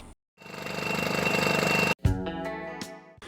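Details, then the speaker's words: Piaggio Ape 50 two-stroke engine running with a thin, steady metallic ringing over the engine beat, hard to locate but from the fan side. The flywheel was rubbing because the riveted coils on the stator plate had come loose. "bei meiner 50er AP hat der Motor geklingelt wie auf dem Video zu hören"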